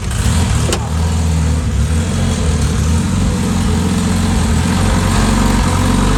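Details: Freshly built Honda K-series race car engine running: steady low rumble, smooth idle with light revving, no knocks or ticks; sounds really good.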